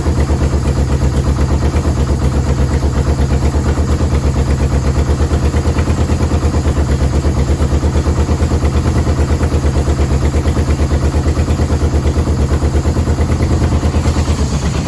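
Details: Yamaha VMAX 1200, sat about 5 years: steady loping low idle with a slightly uneven beat, pitch dropping near the end, no smoke, running only on choke; owner suspects clogged carburetor jets.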